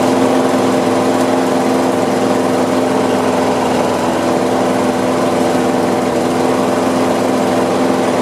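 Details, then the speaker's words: Free Craftsman push mower that had sat outside a long time, after carb cleaning, oil change and new RJ1 spark plug: even, steady single-cylinder buzz with no surging or misfires; owner thinks it idles kind of low. "i think it's idling kind of low if you ask me"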